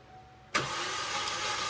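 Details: Chevrolet Trax LT that sat in storage, fuel pump and ignition coil already replaced: starter cranks with quick light whirr, never fires; spark present.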